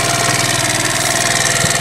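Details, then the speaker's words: 50cc GY6 Chinese scooter kick-started with the battery removed and disconnected, idling with a steady, even putter and a bright, smooth top, with no misses or knocks: a normal idle. "and you can take the battery out and your kick starts still gonna work"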